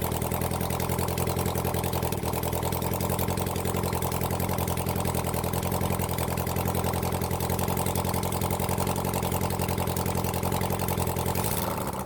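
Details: Honda CB400 Four engine on a bench run after reassembly and tappet setting, started with the choke closed after earlier carb flooding: steady, even four-cylinder idle with a smooth low hum, no knocks or misses; sounds good before carb balancing.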